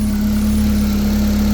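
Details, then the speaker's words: Drift truck with a newly fitted bigger intercooler and rerouted oil cooler lines, warming up: steady low drone with slight unevenness; owner attributes the poor idle to clogged injectors. Rough idle. "it doesn't idle grade only because the injectors are clogged but it idles"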